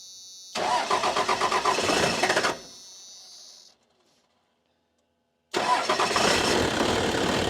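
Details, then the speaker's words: 1994 Dodge Cummins diesel, off the road for years, with a suspected failed lift pump: two bursts of even cranking, about four beats a second, no firing. The injectors stop shooting as the system picks up air; the pump sounds loaded, then high, as if pumping air. "Yeah, it's picking up air because they're not shooting now. The fuel pump sounds like it's under load, and then it'll sound high like it's pumping air."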